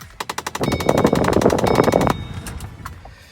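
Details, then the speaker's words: 2005–2009 Mustang, just over 100,000 miles: rapid, even clicking behind the dash, about ten a second — failing driver-side blend door actuator, common defect on these models. "that is the blend or actuator pretty common defect on all 2005 to 2010 Mustangs"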